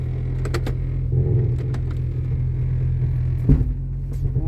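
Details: 1996 Jeep Cherokee XJ, first drive after front axle install, in 4-low: low rumble with sharp clunks and rattles, no four-wheel drive, fine in 2WD; owner rules out ratio mismatch, cause unknown; drivetrain clunk.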